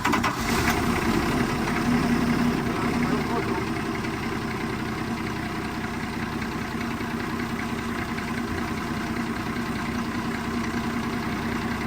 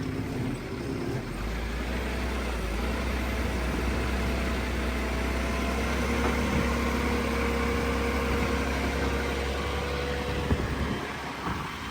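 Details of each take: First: 7 Series 7FKU40 8,000 lb diesel forklift, engine rebuilt after seizing; now starts but won't rev, gaining only 200–300 rpm: flat steady idle barely rising when throttled; engine will not rev. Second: 7 Series 7FKU40 8,000 lb diesel forklift after rebuild of a seized engine that sat about 2 years, being revved: steady diesel clatter with low even drone lifting smoothly as throttle opens, no misses; normal running.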